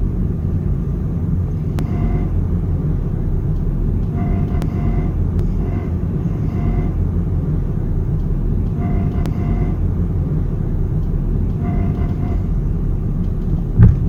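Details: Honda Civic at low speed in low gear: heavy road rumble with recurring squeaky creaks, rattling and occasional sharp clicks from the suspension. A broken sway bar is suspected, not confirmed.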